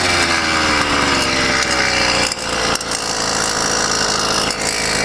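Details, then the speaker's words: YD100 two-stroke on a motorized bicycle, first test after ramped-piston work, riding: raspy buzz drops out twice then picks back up, jerking rider forward as if the engine froze while still running; cause unknown. "something just jerked me forward holy crap but it was still running it was like the engine stopped and froze and kept running"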